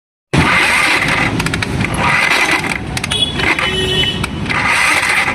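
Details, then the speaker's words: Bajaj Pulsar 150 on kick or electric start: harsh rattling metallic clatter from the magnet (flywheel) side of the engine; mechanic blamed engine/piston, magnet suspected, not confirmed. "बस जब भी इसमें kick मार रहे हैं या फिर सेल्फ मार रहे हैं तो बहुत बेकार सी आवाज आ रही है इंजन से।"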